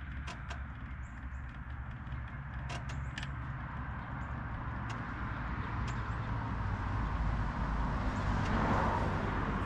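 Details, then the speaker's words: Cushman front-deck diesel mower bought as scrap (supposedly bad hydraulic pump), first start on a good battery after slow-warming glow plugs, fired right up: low, even diesel chug settling into steady idle with outdoor ticks, no knock or miss; normal diesel idle. "all right all right with the a good battery and uh it seemed like it took a long time for the glow plugs to warm up but maybe they weren't I don't know fired right up"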